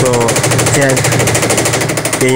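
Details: Sharp automatic washing machine, very noisy spin: rapid hard metallic hammering several times a second throughout spin, loud and relentless; defective tub assembly banging.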